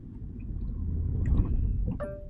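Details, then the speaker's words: Manual car in first gear, foot brake held and clutch lifted: low idle rumble labours as the clutch bites, then the engine shudders and stalls. "So this time I'm going to put it in first gear, and I'm going to hold the brake, and I'm going to lift the clutch,"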